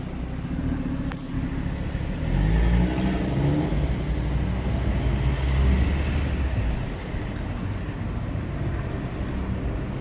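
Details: Audi RS3 idling at a stop light. Deep rumble with a lumpy pulse about four times a second, rising and falling; abnormal, uneven idle noise, cause unclear.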